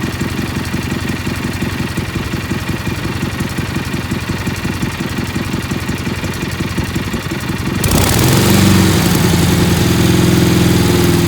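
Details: Kohler Magnum 18 MV18 twin with a bad fuel pump: runs steadily at idle on gravity-fed fuel, then throttles up near eight seconds to a louder, rougher note as it starves at full throttle and would die. Fuel starvation.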